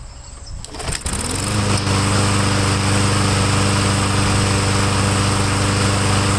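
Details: Craftsman lawn mower after carburetor work, air cleaner cover off, primed with two-stroke mix, smoking: engine catches after a second and settles into steady even drone without misses or hunting; normal running.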